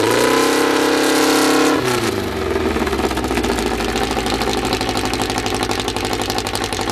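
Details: First start of a freshly built 2054 flat-four, carburettors barely adjusted, no final exhaust fitted: catches and settles into a loud, raspy, steady beat through an open exhaust, no knocks or misfires; engine running well from the start.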